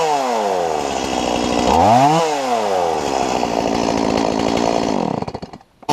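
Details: Stihl MS170 chainsaw after lifting the bent carburetor inlet control lever about 2 mm: revs up cleanly, holds a high steady scream while cutting without sagging, then drops back to idle; bogging cured.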